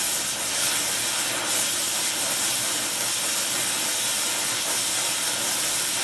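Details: Air Products Integra oxy-acetylene cylinders, integrated regulators, quick-connect flashback arrestors, small mixer torch welding; aiming for 4 psi on a 380 psi gauge. Steady even hiss, no popping, sputtering or flutter; normal clean torch flame.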